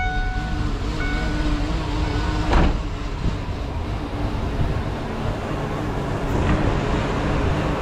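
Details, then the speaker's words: 1995 Ford Mustang GT V8 rough idle returning after idle air control, throttle position sensor and PCV valve replacement; deep uneven rumble, owner determined the distributor was at fault and replaced it. "So the car is having a hard time running again."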